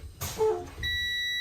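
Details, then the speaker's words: Air brake test on truck, engine off, key on, pumping brakes down: steady high-pitched buzz comes on and holds, the low air pressure warning, at about 60 psi (required between 60 and 80 psi). "Now is when you tell the examiner your low air warning signals have come on. They've come on between 60 and 80 pounds."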